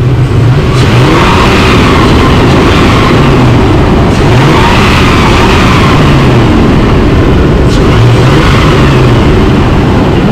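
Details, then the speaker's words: Holden Rodeo (2005/2008) V6 that had a cylinder 6 misfire, after replacing dirty spark plugs: revs up and falls back smoothly several times, no stumble or shake; normal revving after repair. "okay so now moment of truth we're gonna start it up see how it look where the key okay it's no shaking at all it's looking good"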